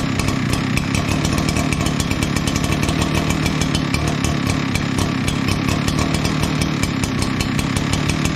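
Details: Echo PB9010T backpack blower after annual maintenance (new spark plug, air filter, fuel filter), refuelled, primed with the primer bulb, about 50°F outside: steady, high buzzing two-stroke drone with even firing and no surging or stumbling; runs clean and healthy.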